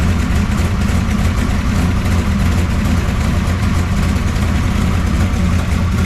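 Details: 1969 pro street Camaro V8 with freshly rebuilt Holley carburetor, after ignition timing check: steady, deep, lumpy idle with even rumble and no knocks or misses; engine runs smoothly.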